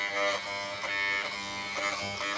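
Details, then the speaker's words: FYC hair trimmer on AC power after its blade was tightened and the teeth reshaped: a steady, smooth high-pitched buzz with no rattle. The loud noise is gone; normal running. "देखिए देखिए दोस्तों कितनी अच्छी चल रही है। देखिए आवाज़ ख़त्म हो गई दोस्तों।"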